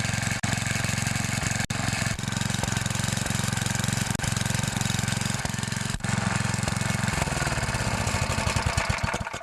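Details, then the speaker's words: 9HP Tecumseh Snowking single-cylinder engine, first cold-start test run after connecting rod replacement, outdoors: quick even popping, steady firing, no knock, winds down cleanly; sounds healthy. "this will actually be the first test run with it with the new connecting rod in it well there she goes"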